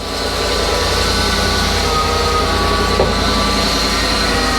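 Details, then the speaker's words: Ford F650/750 truck at idle: a steady high-pitched whine sits above an even idle, not heard the day before. Owner suspects the power steering pump is failing and plans to replace it; power steering pump whine. "maybe this thing needs a power steering pump definitely did not hear that yesterday when I pulled it in"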